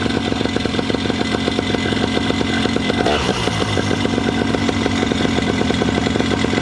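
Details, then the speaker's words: Paramotor two-stroke after its cracked exhaust was JB-welded: fast, even buzz with a steady tick in every beat and a light rattle that was always present; owner suspects the exhaust bouncing, unconfirmed. "I need to see what that rattling is because I hear the rattling but it's always done that rattling"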